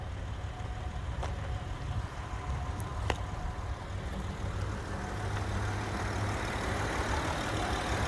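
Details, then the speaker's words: Old work truck engine with about 350,000 miles, first startup after an AMSOIL synthetic oil change and flush: quiet, low, even hum at idle with no ticking or knocking, described as a purr; healthy. "Oh yeah, listen to that purr."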